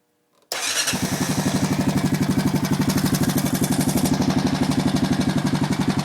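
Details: Honda Foreman engine at idle with a fast, even light top-end tick, about four per second; valves already adjusted correctly, owner suspects timing chain, unconfirmed.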